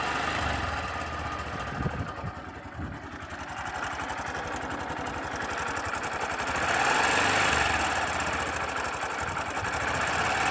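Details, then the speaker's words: Sundiro Honda CBF125T motorcycle idling, recorded on a phone: steady idle with a fast, light ka-ka-ka metallic rattle throughout, fairly loud but not affecting riding. Ticking rattle at idle; owner calls it timing chain noise, not confirmed. "现在应该非常明显，就那个咔咔咔咔的那个声音。是不是挺响的呀？但不影响骑行嘛。"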